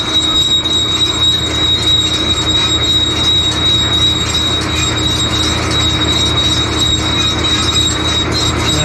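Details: John Deere baler hooked to tractor: constant high-pitched squeal over the steady drone, holding one pitch; a chain suspected, oil applied, not confirmed.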